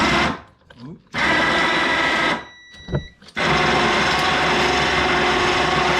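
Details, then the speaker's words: Yard-sale ATV winch, long stored, run on power: harsh gritty motor whir with rough gear chatter under load; gearbox sounds low on grease, owner plans to disassemble and re-grease. "That didn't sound good. Yep, got to take it apart and grease it. Definitely sounds like there's not much grease in it."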